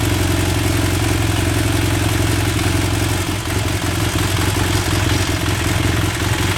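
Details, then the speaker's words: BMW F800 motorcycle at idle: loud lumpy idle with a dry clattery rattle, the sound of a deflated cam chain tensioner or an incorrectly set adjuster letting the cam chain go slack. "so this is what a deflated cam chain tensioner will normally sound like so the society also if you don't have that your adjuster set correctly this is the noise that you will hear as well"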